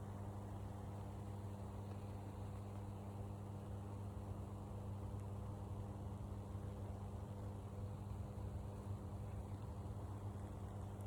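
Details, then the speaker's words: High-voltage power line heard from a forest path about 200 m away: a constant low electrical hum with a steady buzz an octave above, unchanging over a quiet outdoor background, carrying through the whole forest. "Da soll mal jemand sagen, neben Hochspannungsleitung wohnen ist nicht schädlich. Hört euch mal das Brummen an."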